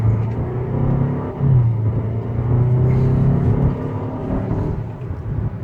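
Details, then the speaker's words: 2013 Ford Explorer XLT 2.0 turbo, about 130,000 miles: deep, throbbing growl and vibration under firmer acceleration, not when gentle; transmission shop says transmission mount, engine mount and torque mount need replacing. "it's making this noise problem is transmission mounts a motor mount and the torque mount underneath the engine only to be changed out"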